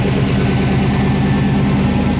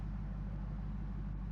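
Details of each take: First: 2007 GMC Sierra Classic with freshly swapped LS V8, first start with codes present: steady fast idle held around 2,000 rpm, never settling until codes cleared. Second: Warm first-start idle of an LS V8 swapped into a 2007 GMC Sierra Classic with a fresh tune, about 740–750 rpm (cluster reads about 1,000); steady even rumble with slight cam lope, no misses or knocks; owner wants idle slightly lower.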